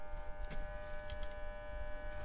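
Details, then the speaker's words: Solar inverter running after DC isolator replacement, producing about 7,075 watts: steady high electrical hum with several even tones, no crackle or buzzing; normal operation, just a noisy unit. "The inverter's humming away nicely. You can hear it"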